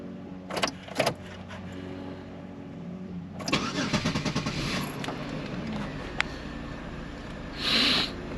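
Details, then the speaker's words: Chevy Monte Carlo with a hard-start problem, restarted after repair with throttle body refitted, on a 42°F morning: brief crank catches quickly into smooth, steady idle; sounds normal, start and idle fine. "Okay. Now I'm gonna turn it off and I'm gonna try it again. Sounds pretty normal to me."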